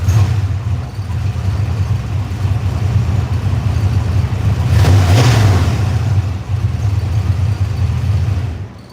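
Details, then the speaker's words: Engine cranked in about 66°F weather, first start attempt: starter churns at roughly three beats a second for a long stretch with uneven rhythm; long hard start, second start quick; fuel vapors making it rich suspected. "so you saw the first time it took forever for it to start and the second time it'll bust right off"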